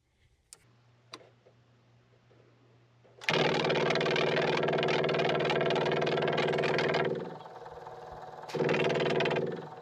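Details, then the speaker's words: Onan QG 5500 EVAP generator in a 2019 Dutchman Voltage 4205 toy hauler, won't start, fuel line off, prime button pressed: steady loud pump buzz dropping and returning, no fuel delivered; electric fuel pump apparently cavitating from air in the line. "kind of acts like it's cavitating like it's got air in the line"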